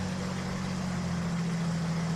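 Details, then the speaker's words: KR2 aircraft, first flight after 3-year repair, run-up with carb heat applied: even, steady drone with no roughness, surging or misfire; lost about 75–100 RPM with carb heat, oil pressure 40, AFR reading rich, oil temp green; sounds good. "Alright. Sounds good. Lost about 100 RPM, 75 to 100."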